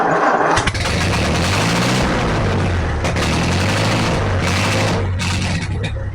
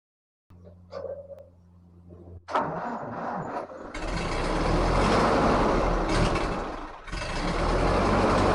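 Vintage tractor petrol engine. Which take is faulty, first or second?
second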